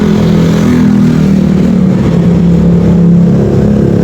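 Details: Rouser 180 single-cylinder motorcycle after repair of burnt wiring and balancer-related vibration and knocking: smooth even exhaust note holding steady through the rev, no shake or rattle; vibration gone, healthy engine.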